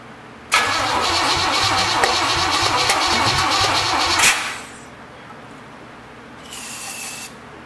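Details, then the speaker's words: Traded-for Chevrolet 454 big-block V8 of unknown history on first start attempt: cranks evenly for about four seconds but never catches; distributor installed 180 degrees out, number one rechecked, to be turned around. "you ever heard the term 180 out or newbie mistake that's what that is double checked number one and there we are we're going to have to switch that around a little bit"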